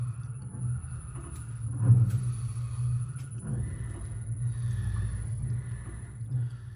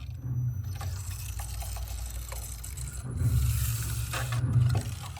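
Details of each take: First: Lamborghini Huracán BWI MagneRide shock absorber on a dyno after repair, set to hardest setting, about 260 kg in compression and rebound: steady, even stroking rumble with no knocks or squeaks; damper working properly. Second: Lamborghini Huracán BWI MagneRide magnetorheological damper on a dyno bench before repair: deep rhythmic churning and gurgling knock growing louder as compression and rebound speed rise, from gas-oil mixing; worn damper with foamed oil.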